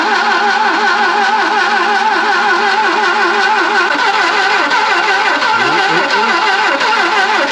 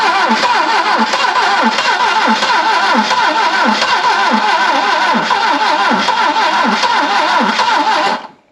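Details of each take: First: Barn-find Saab 99 first start attempt after pumping fuel through, on its own battery: slow labouring cranking with the odd cylinder firing but never running; voltage drop suspected, jump pack called for to crank faster. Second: Barn-find Saab 99 first start after a failed ignition coil was swapped for a new one, with fuel pumping. It fires and keeps running at a brisk, slightly uneven beat for about eight seconds before shutoff.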